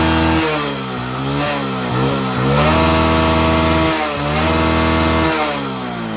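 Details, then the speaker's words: Hero Passion Pro motorcycle before full engine rebuild, started on self-starter, smoking: harsh buzzy single rising and falling with throttle blips, uneven rasp; worn-out engine. "బండి engine sound వినండి main important engine sound [సంగీతం] అనేది మొత్తం అయితే ఈ రకంగా అయితే sound అయితే వస్తుందన్నమాట ఇంజిన్ సౌండ్"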